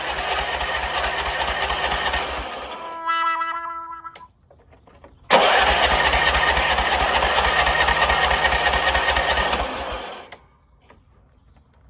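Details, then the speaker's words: Craftsman RER1000 riding mower started on choke after sitting a while: catches, cuts out, then restarts and holds a high steady rev that never settles; high idle because the idle screw needed adjusting. "It was really revving high. So, I told the guy not to come."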